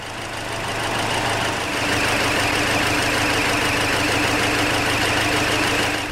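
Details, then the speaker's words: Hyundai Elantra with check engine light on, running really rough and low on power: engine shakes at idle with a lumpy, stumbling beat from one misfiring cylinder, a P0304-type misfire from coil or spark plug. "As you can see, the check engine light is still on, and I can tell you the engine is running really rough right now. And here's a look at the engine. It's shaking quite a bit and it sounds very rough."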